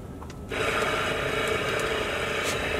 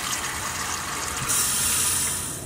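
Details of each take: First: Water pump on a Fleetwood F53 Class A RV, reinstalled with lines still closed: a fast, steady buzzing chatter at an unchanging pace while it compresses air in the lines. It runs but is not yet delivering water. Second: After replacing the SHURFLO 12V 3.0 GPM water pump on a Fleetwood F53 Class A RV, faucet test: a steady hiss of water with even, unbroken flow and no sputtering or surging. Pump holds pressure normally.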